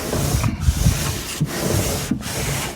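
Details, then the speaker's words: Ram Promaster van window regulator replacement: after spraying lubricant into the window track, the glass runs freely with a soft, even rubbing slide, short pauses, no binding or squeal; lubrication done as preventative maintenance so the other regulator doesn't break. "All right, big difference. That'll help make sure the other one doesn't break and it could be done for preventative maintenance just to make sure that maybe you don't ever have one break on you to start with."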